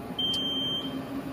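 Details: CNC spindle water chiller being switched on with its on/off switch; it starts pumping and shows the temperature. A single high, clean half-second beep over a quiet low hum; normal power-on.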